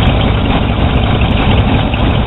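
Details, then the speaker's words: 1982 GMC/Chevy truck with warranty-replaced alternator, gauge showing 14.5 volts; negative battery terminal disconnected and engine keeps a steady, even idle, alternator carrying the load normally. "Woo! Alright, it's still running. And to prove to you that the battery is disconnected, got my interior light on."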